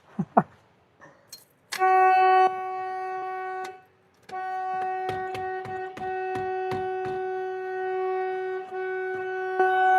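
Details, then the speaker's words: Winnebago motorhome, key on during a fuel pump job with nearly full tank: a steady loud horn blares by itself, briefly cuts out and returns; the horn sounds on its own with the key on. "Key on. Horn goes off."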